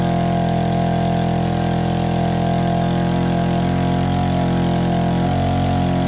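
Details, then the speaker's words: APC mini chopper, started using the primer (no choke) on a questionable battery: a steady, even buzzing idle at constant pace with no stumbles or surging. Normal idle. "on lives and idles it's official we could totally ride this in the snow it'd be super safe as well"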